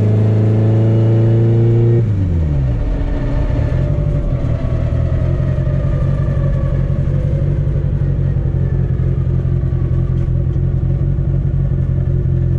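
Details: Car road-tested after CV axle and driveshaft repairs: the revs drop after a shift, then a smooth, even drone at steady cruise with no thumps or shudder. No driveline vibration, so driving is normal.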